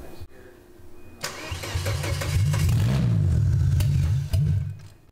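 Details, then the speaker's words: Volvo 850 with built RN engine, converted from LH3.2 to M4.4 with coil packs and variable valve timing, first start: a few seconds cranking, then catches into steady, even low rumble; no intake popping or exhaust spitting, firing order correct. "well it fires the firing order sounds right it's not popping through the intake it's not spitting out the back"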